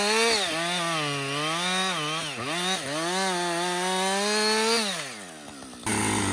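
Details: Husqvarna 562XP chainsaw, returned from the shop after a Husqvarna-advised software reflash for dying when hot, stumbling and no-start. Making cuts through its first full uninterrupted tank: clean two-stroke scream sags in the cut, recovers crisply, then drops to idle. Healthy running under load.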